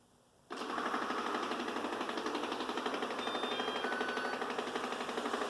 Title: Ecovacs Deebot N79S Loud Noise